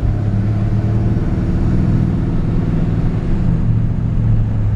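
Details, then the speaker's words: 1960 Ford F100 pickup being driven: a steady, low engine rumble with smooth pitch changes and no clunks as the automatic transmission shifts through the gears; normal, smooth shifting. "just want to show that it shifts through the gears and you can hear the transmission shifts nice and smooth"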